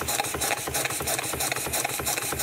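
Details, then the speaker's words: DIY live steam engine running at about 10 psi boiler pressure: a rapid, regular knock of about three to four per second with each shaft turn, from worn main bearings that need resizing. "so knocking your caneer is the main bearing um"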